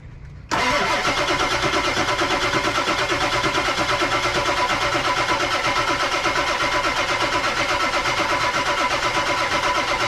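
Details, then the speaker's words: 1999 Ford F250 7.3 Powerstroke 4WD extra cab, abandoned for over 6 years, cranked on jumper cables to build oil pressure. Steady starter whir with even compression pulses, about three a second, for ten seconds without catching. "we just now got oil pressure on the gauge which means we finally picked up oil out of the uh out of the oil pan"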